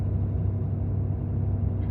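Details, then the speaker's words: 2018 Ford F-350, 6.7 Powerstroke diesel, 210,000 miles, cold start at high idle: heavy, even low roar from the radiator fan with no knocks, dropping off as it warms; fan behaviour to be checked by a shop. "once it warms up a little bit it'll kick off and not be so obnoxious on this truck"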